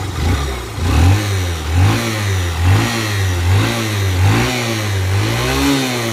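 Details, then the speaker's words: Honda SP Shine BS4 motorcycle engine, previously rebored once: repeated revs sound harsh, strained and laboured, and the bike runs tight and hard with smoke from the side: a worn engine. "బండి sound engine sound అనేది ఈ విధంగా అయితే వస్తుందన్నమాట కాకపోతే మనకు బండి అనేది హార్డ్ గా వెళ్లడము చానా విపరీతంగా టైట్ గా వెళ్ళడం ఇలాంటివి అయితే జరుగుతా ఉన్నాయి అన్నమాట"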